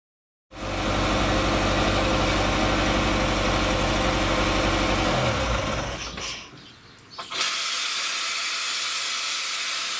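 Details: Ferrari 308 idling: engine runs fast and steady, then cuts out under a loud hiss of steam as coolant boils over because the radiator fans never switched on.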